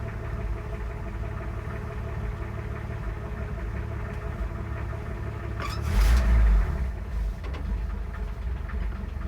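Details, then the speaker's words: 1966 Ford F100 idling after choke pushed in: steady idle with a regular light knock about four per second over the engine note; engine knock, cause not identified. "Hey, well, it's alright. But you can hear the knock."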